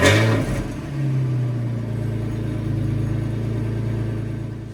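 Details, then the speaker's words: 2003 Porsche Boxster S (986S) cold start after both secondary cats (rattling internally) were replaced with test pipes; Krios exhaust mod with drilled muffler. Engine catches, flares briefly, then holds a smooth steady low idle with no rattle or tinny buzz. Normal cold idle. "But I'm going to do, this is a cold start. We'll pull it off the jack stands and see how much louder or not the deleting the secondary cats made the car."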